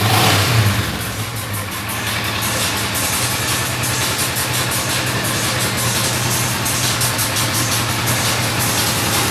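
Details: Kawasaki ER-6n parallel twin after crankshaft and bearing replacement for engine noise, exhaust heard: a throttle blip, then an even, lively exhaust beat with no clatter or rattle; runs healthy.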